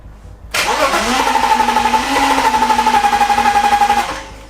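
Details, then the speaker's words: BMW E36 328i, 2.8 L six-cylinder, abandoned 7 years: starter spins the engine at a steady, even rate for about three seconds but it never catches; crank-no-start, spark uncertain. "Like, it is turning over. Why is that not starting? Why is that not starting? Still no luck. The engine just didn't want to fire."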